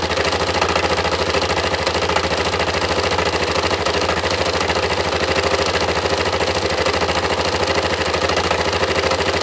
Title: engine knocking Yamaha MT03